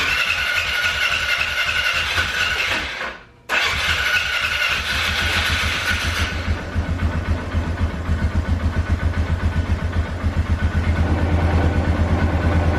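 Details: 2012 Polaris Sportsman 400 HO that bogged down and died, after idle fix: cranks, catches after a brief pause, then settles into a steady, even thumping idle without stumbling; normal start and idle.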